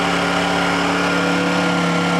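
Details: Honda generator idling steadily just after a cold start: an even hum with a constant pitch and no knocks or misses, a normal smooth idle.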